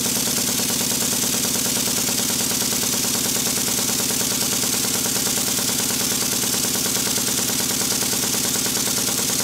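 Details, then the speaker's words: Model Stuart beam steam engine on a high-speed test run after repairs including corrected valve timing: fast, even exhaust chuff of about three beats a second with a light mechanical whir, no knocks or clatter; runs fairly quietly. Normal running. "to indicate how quiet the engine is I spoke to the camera when it was filming how quiet is it well I just speak next to the camera I think you'll hear that it's running fairly"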